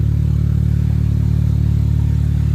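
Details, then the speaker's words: Honda Element with its catalytic converter stolen, running at idle. Very loud, raspy low drone with a fast, even buzzing pulse: open exhaust from the missing catalytic converter. "Sounds like a buzzing bumblebee hive of tractors. Let's get this thing in and get it fixed up."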